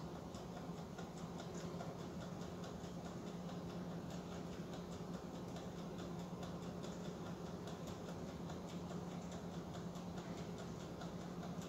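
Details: Mid-1920s Waters-Genter Toastmaster 1-D-1 commercial automatic 4-slice toaster, drawing over 2000 W, while toasting: faint, even ticking over a low electrical hum with no stumbles or drag; the clockwork timer runs normally.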